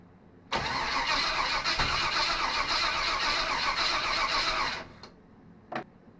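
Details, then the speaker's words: SBC 350 in '55 Willys wagon, first start after removal from '46 Chevy, new fuel pump and temporary tank: even cranking about four seconds, never fires; pump not filling carb bowl, owner suspects timing way off. "That fuel pump is still not filling this bowl. I don't know what the issue is."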